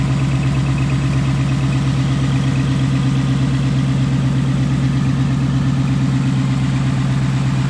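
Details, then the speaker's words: Tuned 2019 Ford Mustang GT after Ford warranty throttle body replacement: deep even V8 idle with steady low burble, no popping or misfires; fixed and running smooth. "all right so there you go guys it seems to be working so far so good no more popping sounds"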